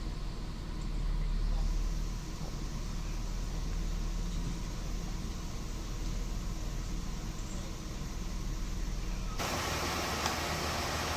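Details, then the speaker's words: Mercedes-Benz S280 at about 360,000 km idling with the AC on after repair of a leaking refrigerant hose, new drier and compressor oil top-up: a steady, smooth idle and quiet compressor, no knocking, rattle or grinding, cold air at the vents. "อันนี้เราแก้ไขเรื่องระบบน้ำยาที่รั่วนะครับก็แก้ปัญหาเรื่องคอมดังนั้นก็เติมน้ำมันชดเชยให้ผมก็เงียบครับเงียบ"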